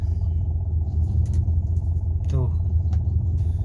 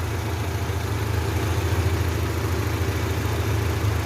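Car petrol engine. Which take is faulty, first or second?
first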